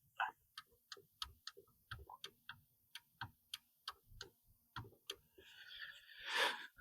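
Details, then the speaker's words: Mini Cooper R50 power window, ignition on: quick dry relay clicks from the door control module, about three a second, with no motor hum and the glass not moving; the motor is stalled by stuck carbon brushes. "So maybe you hear that relay is clicking but window doesn't move at all which means that we need to fix that issue."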